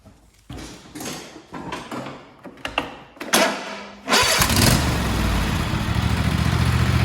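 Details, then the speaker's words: Craftsman T240 lawn tractor (MTD), Kohler KT725 22hp engine, after tune-up with new plug, filters and oil, started indoors on choke: a few seconds of cranking and clatter, then catches at once and runs evenly; normal quick start. "There you have it. This thing starts up real quick now."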